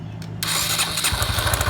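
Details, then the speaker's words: 2013 Honda Biz 125 (also called a 2015) with an oil leak: starter whirr, then the engine catches with heavy, evenly spaced low thumps under the exhaust beat; excess connecting rod play found, rod to be replaced; connecting rod knock. "Olha a folga da biela por isso que tá com aquele barulho Então a gente vai ter que trocar essa biela"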